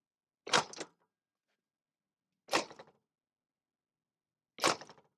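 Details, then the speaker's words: PuckiPuppy GoldenR AWD full-suspension ebike dropped with kickstand up: three sharp clunks about two seconds apart, loose rattling knock from the rear; owner suspects kickstand, later found only partly the kickstand, partly the overall setup. "I'm trying to figure out what that clunky noise was in the back. I think it's the kickstand."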